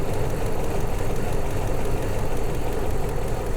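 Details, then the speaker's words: 2001 Toyota Land Cruiser 100 series, 4.7-litre petrol V8, off the road since 2016, idles deep and lumpy with an uneven stumbling beat after throttle body clean and vacuum leak fixes; scan showed ignition coil misfire code plus MAF and right-bank O2 sensor codes. "rough so at this point I decided to just scan the car and see if we had any fault codes and we did we had one for a wonky math sensor we had a code for an ignition coil made of jelly"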